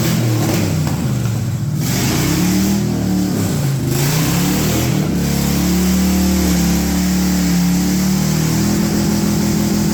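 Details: Project truck with LS swap, after plugging the brake booster and other vacuum leaks; deep V8 rises and falls cleanly through several blips with no stumble, popping or hiss; running healthy.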